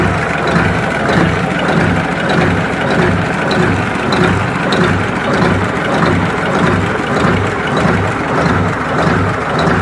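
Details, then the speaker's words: Mitsubishi diesel engine idling with hard rhythmic tak-tak knock, idle then raised to hear it; knock persists after nozzle repair, injection pump and delivery valve to be cleaned. "make kita naikkan dulu langsamnya atau stasioner nya supaya terdengar suara ketukan nya sahabat ya bisa kita deteksi"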